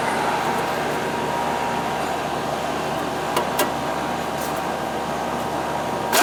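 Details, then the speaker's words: Old R22 AC condenser fan after replacing a dead capacitor that caused surging and likely stopped it starting: steady, even fan hum with faint constant tone, no rising or falling surges; running good. "It's running good. Good. Before, you could hear it surging."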